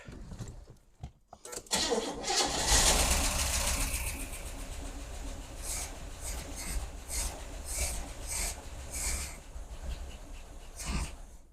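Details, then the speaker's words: Abandoned 1977 Pontiac Grand Prix, carburettor likely gummy, 30-year-old oil: cranks, catches and settles to a rough idle with a slight lifter-like tick but no deep rhythmic rod knock; normal start, no rod knock. "Certainly isn't a knock. No. And one might expect with a crankcase full of spun bearings."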